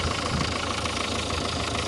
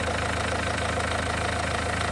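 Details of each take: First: Renault 1.5 dCi diesel idling during leak-off test before repair: steady, even clatter, engine runs well, yet injector 3 returns excessive fuel, indicating worn internal parts; 1 and 2 leak a little. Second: Renault 1.5 dCi diesel warm idle during leak-off test after injector no. 4 refresh (new Delphi valve and nozzle): even clatter, no misfire or knock; no. 3 returning, 1, 2 and 4 clean, fix for no. 4 worked.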